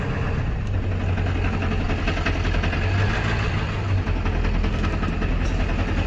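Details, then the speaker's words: Ford 7.3 Powerstroke diesel pickup idling in park/neutral with a loose metallic rattle from the bell housing over the engine clatter; it also occurs when coasting to a stop and goes away in reverse. The cause is unknown until the transmission is pulled back. "you can probably hear that now it's starting to rattle doesn't sound good"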